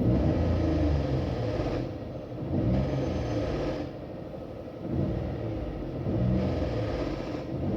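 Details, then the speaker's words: 2022 Renault Logan three-cylinder, 111,000 km: fast, irregular clatter of about three to four per second over the engine rumble, rising and falling in waves; variable valve timing solenoid clogged with oil crust and sludge, electronics OK, not the engine; fixed by replacing it. "bom vocês viram aí né o baita de um barulho né bom vamos lá sem rodeio sem ficar é rodeando o vídeo é isso daqui galera Ó a solenoides tá essa aqui é a solenoides do Logan dele que eu troquei"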